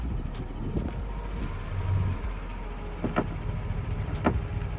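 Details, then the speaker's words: 2014 GMC Sierra on a 2.5" leveling kit with 17" wheels and 305/70/17 Nitto Ridge Grapplers, reversing at walking pace: short scraping catches as full lock is released, tire rubbing the fender trim; other side does not rub. "full lock it doesn't rub right but if like I start to let go you can hear it rub and catch right"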